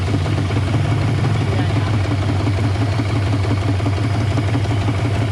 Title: yamaha 150 hp outboard two stroke idle problem, موتور قایق یاماها ۱۵۰